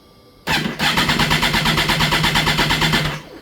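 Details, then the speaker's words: 2011 Kawasaki Ninja ZX14: about three seconds of quick starter cranking with a constant loud fuel-pump hum underneath, never catches; crank-no-start, and the owner suspects the fuel pump is leaking internally. "it won't do anything. So, my guess is that fuel pump's humming really bad. So, I think maybe the the fuel pump is uh bleeding internally."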